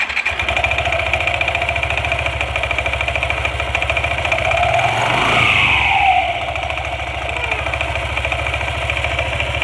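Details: Yamaha NMAX scooter idling with a light metallic rattle (kletek) that swells on a brief blip; CVT opened, slider found loose but not the cause; noise stopped when tensioner pressed harder, so faulty cam chain tensioner.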